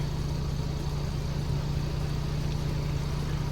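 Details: 2024 Ford Bronco after the banging rattle inside the driver door was fixed: steady low engine and road rumble with no knocking or rattling from the door.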